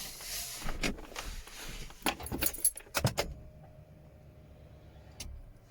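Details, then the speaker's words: Nissan Micra converted to Megasquirt ECU, ignition switched on: relays click on then off and the fuel pump hums briefly, priming for five seconds then shutting off as no crank sensor signal is seen; normal fuel pump prime and relay click. "you've already hear the relays work fire up and then click back off and you might have heard the fuel pump priming thus basically it Prime's for five seconds and if it doesn't sense that the engines turning over via the crank sensor it will switch back off again"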